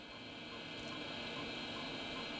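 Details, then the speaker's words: Hard drive in a restored early-1990s Dell 486P/20 (486SX 20MHz, MS-DOS 6.2/Windows 3.1), about 3/4 full, checked during a disk scan: even high whir with a faint, consistent, non-wavering bearing hum and no seek noise; drive healthy apart from slightly noisy bearings. "The drive, apart from being slightly noisy on the bearings, the drive sounds totally fine. It doesn't sound noisy when it seeks. And the noise from the bearing is fairly consistent."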